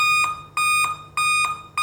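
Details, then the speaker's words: Dell laptop at power-on: high steady beep repeating about every 0.6 seconds and continuing after the system is on; usually caused by a faulty CMOS battery. "यह देखिए दोस्तों जैसे ही मैं laptop को on करता हूं तो इसमें से बीप की वॉइस आने लगेगी यह देखिए गाइस जैसे सिस्टम ऑन हो गया है उसके बाद भी य वॉइस लगातार आ रही है"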